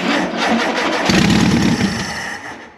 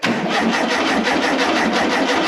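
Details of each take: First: 1973 VW Super Beetle barn find, sat 17 years: starter cranks, the flat-four catches and runs a few seconds with an even beat before dying; first start, fuel pump uncertain. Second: 1973 (possibly 1974) VW Super Beetle barn find, sat 16–17 years, first run after cleaning points to restore spark: engine catches and chuffs at a quick even beat for a couple of seconds, running only on fuel sprayed into the carburetor; fuel pump untested.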